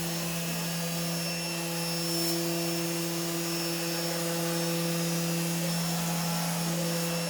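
Smooth steady motor hum with clean whining tones that shift pitch as the axes move, no grinding or stutter; machine runs properly.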